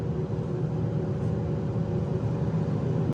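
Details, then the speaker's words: 2017 Subaru Forester, 67,586 miles, on a test drive: steady low hum with a faint constant whine from a worn rear wheel bearing, plus some wind noise from the roof crossbars; fixed by fitting genuine Subaru hub assemblies. "something definitely hearing a whining noise sounds like a wheel bearing hear a little bit of air noise too wind"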